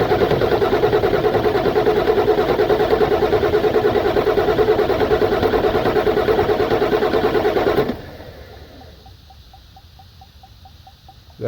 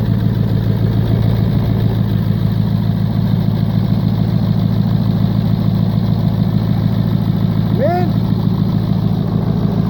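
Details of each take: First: 1996 Ford F-250 7.3 Powerstroke diesel that died while driving, pulling air through fuel lines: steady starter cranking about 2.5 beats per second, never catching, fuel bowl not filling from the tank; crank no start, no fuel delivery. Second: 1996 Ford F-250 7.3 Powerstroke diesel at about 50°F, earlier died while driving from air drawn into the fuel lines. Deep steady idle with even clatter, no stumbling or surging; fuel delivery sounds healthy now.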